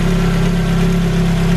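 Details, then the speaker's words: Ford Focus RS Mk1 just refitted after crankcase helicoil repair and new oil sump, first start-up, not yet warm: steady idle with deep even hum and faint light tappet tapping, typical for these engines; normal. "You can see, you can hear the tapping. These are renowned for being a bit tappy anyway."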